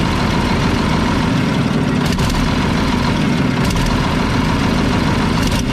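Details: Mack tank truck diesel at idle: deep uneven idle with a stumble every couple of seconds, missing on a cylinder; a loose injection pump delivery valve is suspected, with exhaust and fuel leaks also present.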